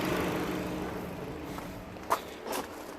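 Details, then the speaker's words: 2010 Vauxhall/Opel Astra J 1.6 after an engine replacement for a bad head gasket, with a complaint that the radiator fan doesn't kick in at 90°C: the fan comes on as coolant rises, a steady even whoosh with no rattle, so the system works normally. "so as you can see there's nothing wrong with the system everything is working fine"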